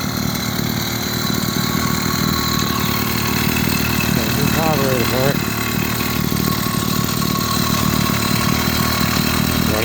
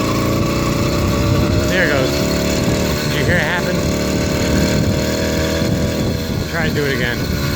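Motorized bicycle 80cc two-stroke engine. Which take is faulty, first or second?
second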